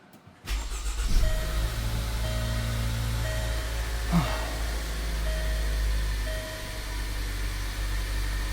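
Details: Land Rover Discovery Sport after P0299 underboost fix (oil line holding turbo back; wastegate vacuum line reconnected): crank catches within a second and settles into a smooth, steady idle with no misses, knocks or hunting; sounds healthy.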